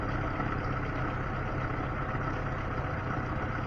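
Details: Smooth, even low idle with no valve ticking or ringing from a Lada Niva engine after valve clearance adjustment; timing chain tensioner noted as worn.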